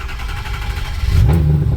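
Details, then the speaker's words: 2006 Ford F-350 6.0 Powerstroke diesel, rebuilt engine, cold start at about 46°F ambient: slow uneven cranking as injection control pressure fails to build, then catches and rumbles up with starting aid; owner suspects a lost high-pressure oil O-ring. "See the pressure? It's not quite coming up to fire. I got to get this started so I can at least move it inside so I can work on it. I'm pretty sure I lost an O-ring."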